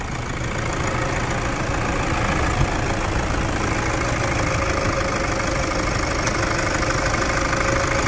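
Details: Toyota Hilux diesel after Brembo brake install, after 159 km test drive: steady even diesel clatter at idle, no irregular knocks or misses; engine healthy and settled.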